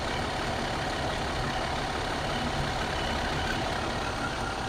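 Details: 2014 MCI J4500 coach with a fresh engine (listed as Cummins), idling with the rear engine door open. Steady, even diesel idle with a low rumble and no knocks or misses: normal idle.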